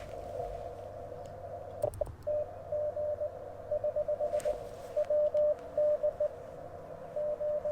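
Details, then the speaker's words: Cootie key (sideswiper) sending QRP CW on Icom IC-705: steady Morse sidetone beeps broken by sharp scratchy crackles on keying, as the key contacts act up; operator adjusts the key. "like the contacts are having a little bit of an issue here you hear that crackling"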